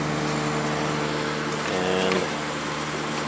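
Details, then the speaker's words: Late-90s 40-pint Whirlpool Accudry dehumidifier, Embraco reciprocating compressor, Emerson fan motor, many hours, running opened up: steady even hum with soft fan rush, no knocks; normal running, discharge line warming, evaporator cooling. "Runs very smooth. This thing has a lot of hours on it. It's been used for years and years."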